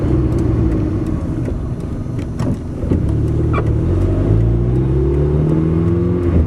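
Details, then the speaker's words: Modified KIA with carburetor (no accelerator pump), driving at about half throttle: pulls cleanly off the bottom, then revs climb slowly at higher rpm; power loss at high rpm, cause unconfirmed. "It's on those higher RPMs I have trouble with. It's about half throttle right there. It gets to a point it starts climbing real slow."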